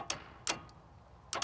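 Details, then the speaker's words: Kawasaki KZ1300 motorcycle revival, jumped from a truck: pressing the starter button gives four sharp dry clicks in about a second and a half with no cranking; drawing some power, owner suspects a poor connection or relay. "before this harder button wasn't anything now it's kind of doing that i don't know how much you can hear i mean it's definitely drawing some power i wonder if i'm not got a good connection um or we got a relay"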